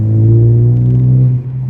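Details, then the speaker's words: 2017 Ford Focus ST with SRS catback, small resonator replaced by ultra-quiet resonator to stop drone: deep smooth exhaust rumble rising as throttle opens, no rasp or rattle, brief lift then pulls again; normal tone kept after fix. "Like, I can still hear the exhaust tone. It still has the same tone. It's still nice and deep."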